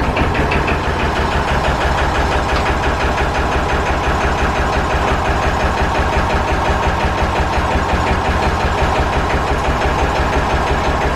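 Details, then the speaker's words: Massey Ferguson 35 diesel tractor just started after sitting, with one cylinder honed at rebuild and not yet broken in: lumpy beat of about three thuds a second with a missing pulse, running on two cylinders; dead cylinder misfire. "seeing here it was only running on two cylinders or so it's because uh the one cylinder got honed out when it was rebuilt and it hasn't been worked it's just sat"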